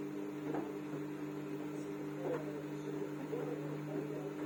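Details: Samsung washing machine: steady motor hum with faint, irregular knocks every second or so; owner asks the cause, service says it is normal.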